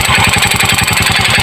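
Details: Motorcycle idling with a hard, evenly spaced knock about nine times a second, starting three days after connecting rod and replacement piston kit were fitted; piston knock blamed on the faulty aftermarket piston kit.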